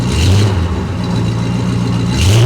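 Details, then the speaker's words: 1973 Dodge camper pickup with big-block engine, first run after sitting since 1998; deep, clean rise in pitch on throttle, then a steady pull with no misses or knocks; very quiet, healthy running. "Holy crap. That is a very nice running engine. I'm very impressed."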